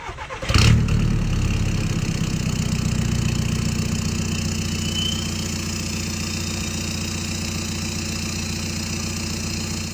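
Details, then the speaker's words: 2011 Audi A3 common-rail TDI diesel after clogged-DPF delete pipe install and tune: catches after a short burst, settles into smooth even idle, no knock or hunting; sounds better, not like a vacuum — normal idle. "It's more fun around town. It sounds way better. It doesn't sound like a vacuum anymore."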